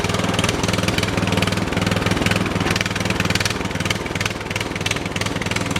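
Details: Briggs & Stratton 13 hp OHV on an MTD/White LT300 tractor, driven around. Speed swells and drops unevenly, smoothing when bounced; owner suspects water in the carburetor float bowl, engine surging.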